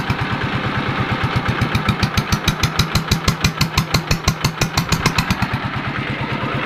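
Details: Yanmar TF115 LM single-cylinder diesel, brought in for hard cold starting, after replacing the injection pump plunger and other parts, inner bearing not yet done: firm even chugging at idle with good compression and no misses, normal idle.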